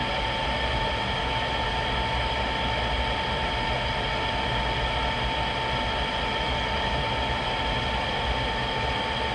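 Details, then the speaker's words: GE/Rheem power-vent water heater after replacing the vent blower assembly, whose old motor had a bearing noise ramping up after about a minute. Steady, even whoosh and mid-pitched hum with no rattles, still fine minutes later. Normal blower operation, problem solved. "after the first minute it's still sounding fine a few minutes later so that sounded good the whole time it was running this definitely solved my problem"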